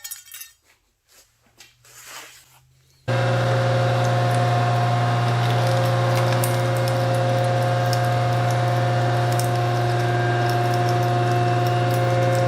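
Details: 1943 Rockford metal planer running: a steady motor hum with even ticking about four per second and no grinding or knocks; the old planer runs healthy and normally.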